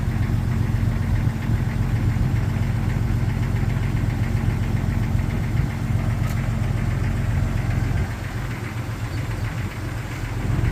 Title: 1999 Jeep Xj Cherokee Cold Start Piston Slap